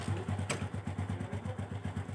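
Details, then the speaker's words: Honda Revo Absolute 110 motorcycle idling with a loose, rattly kletek-kletek clatter about eight beats a second; suspected from clutch, with the centrifugal clutch shoes opening too far and striking their housing. "Saya kedatangan sebuah motor Revo Absolute di mana yang suara mesinnya ada kletek-kletek ya. Jadi di sini tuh ada suara kletek-kletek ya."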